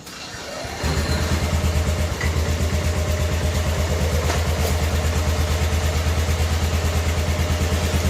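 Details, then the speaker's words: 1988 Club Car golf cart, original 8.5 hp Kawasaki engine, barn find, restarted after wiring sorted; brief crank then the small single settles into a quiet steady thrum at constant speed, no knocks or misfires, nice, quiet, smooth and healthy. "nice and quiet this uh eight and a half horsepower kawasaki engines what these things were born with from uh early 80s till 92 or 3 or something had that motive nice quiet and smooth"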